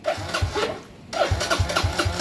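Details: Kawasaki Fury 125 after full-wave rewiring and stator upgrade, battery at 12.1 V, electric start previously faulty: quick even starter whirr with firing pulses, pause, clean crank again; starting properly, charging rises above 13 V.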